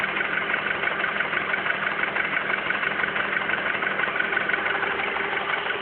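Even idle with a sharp, steady metallic knock at a regular beat throughout; clearly an internal engine knock, cause not pinned down.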